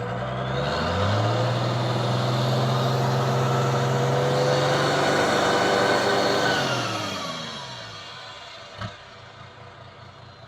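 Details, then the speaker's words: Toyota Land Cruiser HJ61 diesel, warm, after injector replacement: held steady at about 3000 rpm with an even drone and no smoke, then winds down smoothly to idle with no misses; normal revving. "Maintenant, quand tu le tiens accéléré, il ne fume plus. Tu vois là, il n'y a plus de fumée qui sort."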